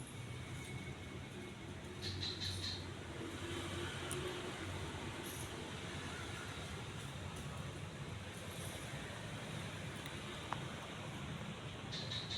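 Quiet, steady low hum with a soft airy whoosh and no scraping or wobble clicks; the fan runs smooth and healthy.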